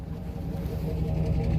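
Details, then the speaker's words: Clean 4x4 truck at auction, running outdoors after snow cleared: low steady even idle hum with no knocks or ticks, nice and quiet, lights working; normal idle. "sounds good you know nice and quiet lights are all working"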